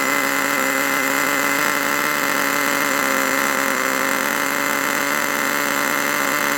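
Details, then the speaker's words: HotBodies 3.5 nitro engine in HPI Savage 21, just started: constant high-pitched buzzing scream that never drops; idle screw set too high, turned out to lower noisy idle. "oh thought I'd just uh turn that screw there to piss those of you off that say I adjust things too early I'm only joking I want to try and lower that down a bit cuz it's a bit noisy otherwise"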